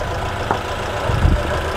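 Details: Car started after a jump-start from another vehicle's battery: the engine catches and settles into a steady, even idle rumble with no knocking or misfire. Running normally.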